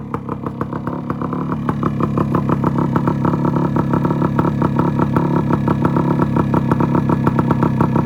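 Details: 1974 Yamaha RS100 two-stroke cafe racer after setting points timing to open just before top dead center: crisp, even crackle settling into steady fast idle with no knocks or misses; engine running properly.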